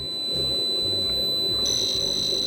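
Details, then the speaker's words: Sharp PC-1251 on its CE-125 tape/printer base, saving a test program to cassette: a clean, steady high-pitched leader tone, then warbling program data tones, a normal, healthy save signal. "Let's uh put remote control on and let's say see save um test one and going to record. So that'll be the long uh leading tone."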